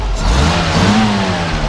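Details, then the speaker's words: 1966 Toyota FJ40 with the F 6-cylinder engine, on a cold day, revved lightly: a steady, even drone rising smoothly with no knocks, misses or much smoke. Normal revving, clean healthy runner. "go ahead and wrap it up a little rev it up just a little bit you know it doesn't blow a lot of smoke or anything"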